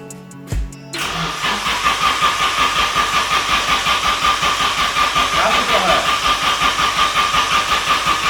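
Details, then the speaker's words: Nissan S13 Sil80 sports car, first start with a single-muffler exhaust: engine catches and settles into a lumpy, uneven beat with a raspy exhaust, running rough; turbo now spinning after being stuck before. Cause of rough running not confirmed. "sounds exactly the same as before whoa oh that didn't sound good that really didn't sound good"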